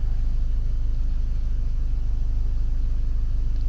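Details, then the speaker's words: 2006 VW Passat after head gasket job, fixed by changing forgotten oil filter cartridge, warm at 200°F after 15 minutes idling: smooth, steady low idle, no ticking or engine chatter; normal warm idle. "temperature is at 200 degrees. The car has been running in idle for about 15 minutes. No engine chatter."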